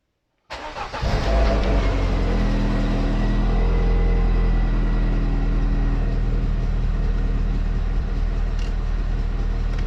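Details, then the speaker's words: MGF 1.8 K-Series engine before repair: starts and idles with even rapid low chuffing about four per second from a severely leaking exhaust manifold gasket itself, not a pipe joint. "but no, it is actually the manifold gasket itself that's leaking, quite severely I have to say."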